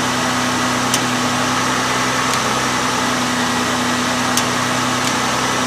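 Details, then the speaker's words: Honda 3.0/3.5 V6 with P0401 insufficient EGR flow, EGR valve commanded open at idle: idle stays steady with no stumble or stall, no change at all, indicating plugged EGR passages. "Absolutely no change whatsoever."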